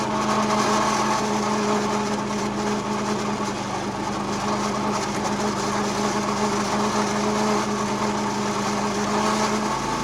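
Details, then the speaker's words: Roughly 70-year-old National reel mower, Clinton engine, after a new flywheel was fitted: holds a steady, even tone while cutting grass, with no misses or rattles. Normal running under load. "And the little thing's pretty happy now. No more unhappy noises from underneath the flywheel cover. No more uneven running from the iffy spark."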